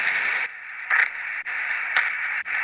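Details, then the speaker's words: HF ham radio receiver picking up a harsh raspy hiss in bursts about every half second. The interference comes from a pulse-type solar battery charger whose intentional pulses, meant to clean the battery plates, radiate noise. "so those are intentional little perch to dislodge any stuff growing on the plates of the battery but the problem is that little art that you see there at the tip top that's gonna create a lot a bit of noise"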